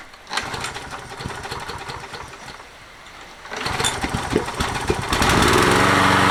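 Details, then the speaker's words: Toro 20789 mower with Briggs Intek engine, hot-restart trouble, worn engine; after closing with gasket, restarts with a brief stumble but more easily, then settles to a steady, even run building to full speed; normal running. "Petite hésitation au redémarrage, mais elle a quand même redémarré plus facilement."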